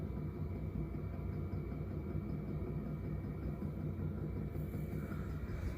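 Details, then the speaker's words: Newly installed 12V 5kW diesel heater running after startup, battery holding 12.7V: even low roar from burner and fan, fuel pump audibly ticking, no surging or misfire; normal running. "Ooh, it's starting to blow. All right. Here it comes. I hear the fuel pump. Can you guys hear it knocking?"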